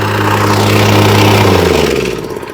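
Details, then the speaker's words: Wacker plate compactor after refitting a slipped drive belt, started on choke; engine fires and runs strong and steady, plate vibrating, winds down smoothly with no slipping or flapping; running normally after repair. "Let's turn it on. Choke. And it should fire straight up, and then should vibrate. Lovely."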